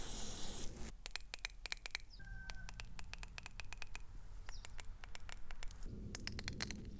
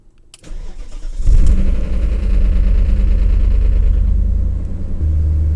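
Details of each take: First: BMW VANOS solenoids removed and bench-tested on a 9-volt battery, before cleaning, car had rough idle, power loss and shaking: sharp, uneven clicks in quick bursts, some faint, two not working, two very weak; sticking VANOS solenoid valves. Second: BMW after replacing the VANOS solenoid o-rings to cure rough idle, loss of power and chassis shaking: engine cranks, catches, settles to steady even idle, warm, no vibration; repair successful.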